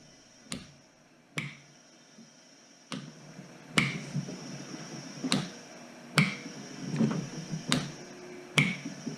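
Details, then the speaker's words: Ambu-bag emergency ventilator prototype, valves set to about 4 psi: sharp clicks roughly every second, each followed by a short air hiss; pressure starts at four, equalizes around 1–1.5, extra vented; switching normally. "and so you can see here where it's pinging where it should starts at four pressure equalizes somewhere around one one and a half total and also vents out anything extra"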